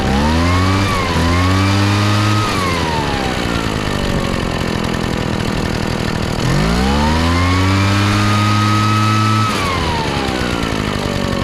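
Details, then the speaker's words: Craftsman backpack blower two-stroke after carburetor repair (it had poured raw fuel from the muffler; metering diaphragm was stuck down, mixture found leaned way out and readjusted): revs cleanly to a high steady buzz, drops and picks up crisply; healthy. "oh all right sounds good so I think that fixed it apparently somebody had uh leaned the carburetor way out probably when it was flooding and they were trying to make it run correctly"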